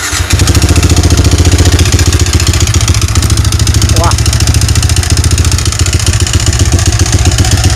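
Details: Yamaha Vixion motorcycle engine before repair, smoking, oil-starved from a leaking clutch cover gasket: loud, rough idle with rapid hollow clatter on every firing beat; piston-to-cylinder clearance (piston slap), fixed by replacing block and piston.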